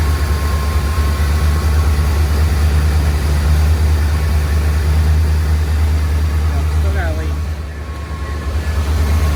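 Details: 1979 Corvette L82 V8 idling on its own after a forgotten vacuum line was reconnected and choke worked out: fast steady idle with constant low drone and brief dip; idle still too high on choke and fully open despite idle-screw adjustment, vacuum leak remains.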